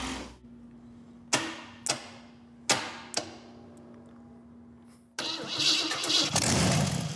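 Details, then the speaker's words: 1948 Packard lead sled with different coil: a few sharp cranking clicks, then the engine catches with a strong, even roar and settles cleanly; normal start and idle. "I'm very happy with that. That sounds like a good engine."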